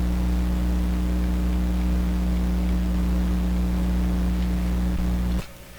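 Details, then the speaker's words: Steady low buzzing mains hum that cuts off abruptly, picked up while setting up a VTVM for IF alignment on a Sparton 1567 tube radio. Owner suspects a grounding problem in his shop, though all equipment frames are bonded together. "I'm hesitant because I think the hum is telling me that I've got a grounding situation in my shop here that's"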